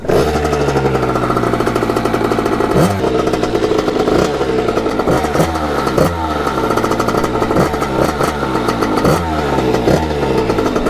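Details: Kawasaki KX80 with 99 cc KX100 big-bore cylinder, after shaved head and new head gasket to fix coolant leak, warming up on yard test ride: crisp two-stroke blips with clean rises and falls, no misfire or clatter; healthy.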